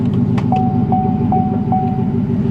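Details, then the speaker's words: Pickup, likely with a 5.3 V8 gas engine, possibly a cold air intake, at Copart on a flat tire. Smooth, burbly idle with an even beat through a loud exhaust and a cabin chime pinging over it; good-sounding, normal idle. "so obviously some religious folks here man she's a good sounding truck"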